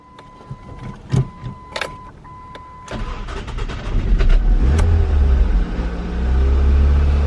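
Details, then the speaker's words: Car after replacing the bottom transmission mount, other mounts found worn: clicks and a chime, then cranks, catches and settles into a steady low idle without shudder or rattles; former vibration gone, runs smooth. "good it feels great oh my goodness this thing is a new car"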